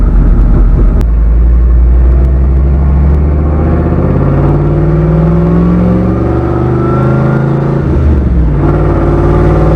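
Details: Skull Garage black truck, fresh engine build after a blown head gasket at 11 lb boost, about five pounds of boost: deep rising pull through the gears with clean climbing pitch, no knocks or rattles; normal acceleration.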